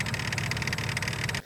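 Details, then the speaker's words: 1998 Range Rover P38 engine running: sharp, fast metallic clacking that stops when switched off, first feared to be timing chain; outer ring of the crank damper rotates freely, so replacing the crank damper is expected to fix it. "if you guys can probably hear that clicking noise that is the noise that's making that horrible clacking whilst the engine is running so i'm pretty confident that replacing that crank damper should fix that horrible noise"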